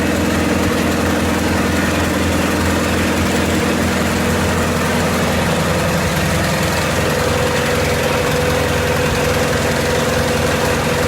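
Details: 1928 Farmall Regular tractor idling after carburetor tweaks, just started with timing advanced about halfway: steady, even low thrumming idle with a slight pitch shift midway as the idle is trimmed; smooth and healthy, normal idle.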